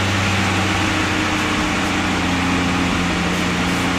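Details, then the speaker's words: AMC Eagle 258 inline-six after a TFI ignition upgrade with the computer bypassed: a steady, even idle with a constant low hum and no stumble, all cylinders firing, described as a high idle. "but there it sounds like I'm running all cylinders"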